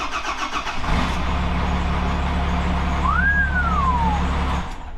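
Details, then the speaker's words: Engine just fitted with a steering column: cranks briefly, catches and settles into a steady idle. The exhaust rattle is gone after it was fixed with a piece of rubber. "Did you hear that? There's no rattle in the exhaust."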